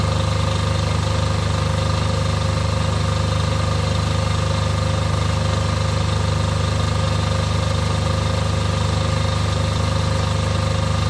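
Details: Off-grid diesel generator after service for fuel problems and cutting out, test run before load: deep even thrum about three and a half beats a second, no lumpiness or misses; lumpiness seems cured, idling smoothly.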